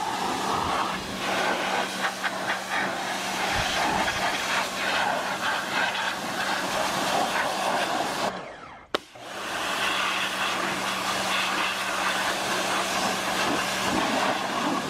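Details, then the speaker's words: Small pressure washer running with the big unit's hose fitted: steady motor hum under strong even spray hiss, smooth through both runs without stalling or surging; working properly. "Okay. We got a winner."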